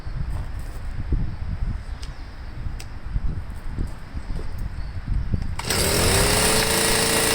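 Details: Stihl MM55 sweeper two-stroke with a Hipa C1Q-S97 carburetor: uneven popping, then jumps to a steady high buzz that won't settle; throttle cable backing plate not seated; idle stuck high.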